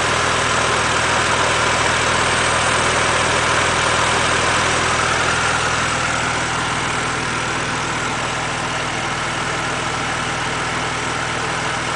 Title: BMW Z4 3.0si engine hissing noise